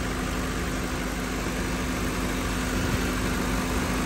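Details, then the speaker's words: Car A/C after adding about a quarter charge of refrigerant, fresh-air mode: steady idle hum, compressor now stays engaged without cycling off; low side 21 psi, high side dropped from 209 psi. "now can you hear that the compressor is not kicking out but look it we're still at 21 PSI on the low side"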